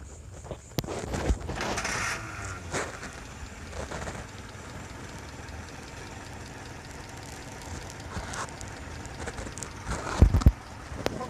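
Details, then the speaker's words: Petrol car engine with distributor ignition after fixing a misfire (broken clip found, points adjusted): steady, even low idle rumble with no stumbles; now sounds good. "Ternyata tidak apa-apa, suaranya sekarang sudah bagus."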